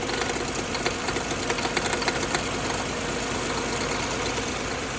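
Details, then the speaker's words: 2019 Ford Explorer Police Interceptor 3.7L at idle: fast light tinny metallic rattle traced by stethoscope to the bottom of the catalytic converter, not the harmonic balancer; noise goes away with vehicle tilted on lift, something suspected loose inside; exhaust rattle. "So, has anybody else experienced this rattling noise when the vehicle is at idle?"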